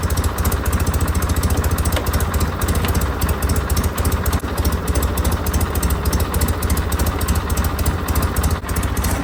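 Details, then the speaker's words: John Deere 316 tractor at full throttle (rabbit): steady but slow, lumbering beat that never climbs; throttle cable sleeve slips through its crimp so the throttle doesn't open fully, giving low engine speed. "No good. This is full power right here. That's not gonna work for me."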